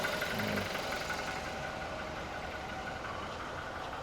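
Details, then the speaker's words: 2020 Toyota Revo single-cab low-rider, manual gearbox, ex-lease, about 217,000 km: steady, even diesel clatter at idle with no odd knocks or misses; engine sounds normal. "แล้วก็คันสุดท้ายคันนี้เลขไมค์200,00017,000กม.นะสำหรับคันนี้คันนี้ปกติเสียงดีนี่นะ"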